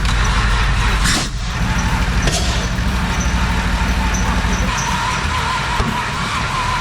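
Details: Holden VT Commodore left for years in a paddock and missing many parts: the engine catches after a short crank and settles into a steady, even beat with no knocking or misfire, running healthily.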